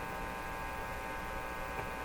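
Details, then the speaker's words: Marconi Model 295 AM/shortwave tube receiver, volume full: steady low mains hum with faint buzz, no programme audio; a wiggled, possibly loose tube made a brief noise. "Oh, heard something there. So maybe this tube was loose, but hasn't brought the radio to life."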